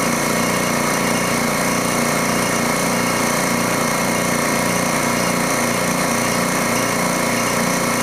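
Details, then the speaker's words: DeWalt D55146 air compressor: loud steady rapid pump chatter building pressure; faulty check valve leaks air back so it cycles on around 160 PSI instead of holding near 200. "as you can see it's going back down and it's going to kick on again about 160 or so and that's again because that check valve is letting the air by"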